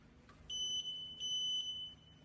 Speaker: This wheelchair makes this type of sound in two types of scenario. First scenario where you want to push this wheel by switching it from electric to manual mode but you forgot to turn off the wheel